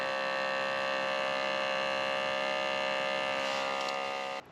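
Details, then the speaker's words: OutIn Nano portable espresso machine once water reaches 80–96°C: beeps, then a steady, even buzzing hum for about four seconds that cuts off cleanly, the brewing pump running normally. "Ah, see now you can hear the the beeps come in and it's actually making the coffee"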